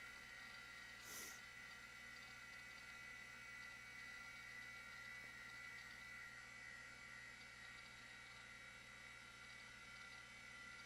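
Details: Macintosh LC after logic board re-cap and ultrasonic cleaning, Quantum hard drive spinning: quiet, steady high-pitched whir with faint low hum, no clicking or scraping; drive spins normally.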